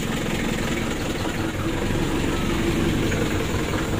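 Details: Mitsubishi L300 diesel, hot engine, revved: rough, coarse, lumpy idle with heavy shaking. It has heavy blow-by and a compression leak bubbling into the radiator, and it is being checked for whether it needs an engine rebuild.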